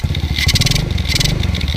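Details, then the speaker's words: 2010 Kawasaki KLX110 after a choke fix, idling warm-up with the choke still on and the air box removed. The small single thumps quickly and evenly with loud intake sucking; runs fine, just noisy without the air box. "This bike fired right up. I mean, it's got the choke on still, but I'll push that guy out there. We got this, and easy way to check it. You can hear it sucking."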